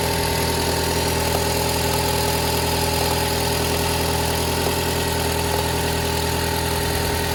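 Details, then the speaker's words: Toyota Harrier 5S-FE, cold start, idle raised around 1500 rpm: steady light crackling tick two or three per second over even hum; rattle for four months, only when cold, gone when warm, worsening; cause unknown. "Какой-то треск стоит, не могу понять, что за треск. Когда машина прогреется, треск пропадает. Но как только заводишь на холодную, какой-то треск стоит."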